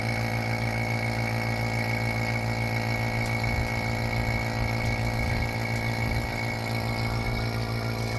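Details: 2nd gen Toyota 4Runner A/C rebuild, vacuum pump evacuating the system with moisture boiling out; even continuous drone with no pitch change and no hissing heard yet; normal vacuum pump operation, though a leak hiss was heard later.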